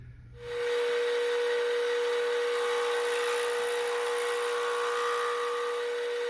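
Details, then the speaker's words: Vintage Craftsman 109 mini lathe taking a finish cut on a 1" UNC nut held on a slightly worn dead center, compound and tool holder repositioned, volume turned down: a steady piercing ring near 500 Hz; notable chatter leaving striations. "Um I don't know if you can hear the chatter cuz I turned the volume way down, but it was some good chatter. Not terrible, but hey."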